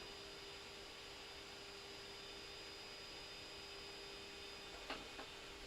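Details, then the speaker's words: Creality Ender 3 S1 3D printer during preheat, with part cooling fan and extruder fan both at 100%: a steady airy rush with a thin high whistle, like a small jet. Stock cooling fans running flat out are too loud. "okay both fun has kicked in now you can hear that's highly pitched noise from both fans it's like a small jet"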